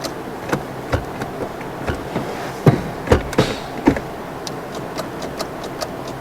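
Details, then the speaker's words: Flood-damaged (was underwater) Scion tC from auction, just topped up two quarts low on oil: uneven sharp clicks, a couple per second, with no cranking and the lights dimming; suspected low battery, possibly a bad starter. "You going to turn over? No. It's dimming the lights like it might be the battery."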